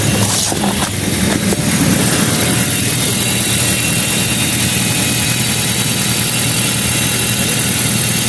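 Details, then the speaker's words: Honda Vezel petrol engine started right after an engine oil change and refill, checked underneath for leaks (none found): smooth, even idle with a steady low hum and no knocks or ticks; normal idle. "তো viewers গাড়িটা এখন আমরা start করছি, নিচ দিয়ে check দেই।"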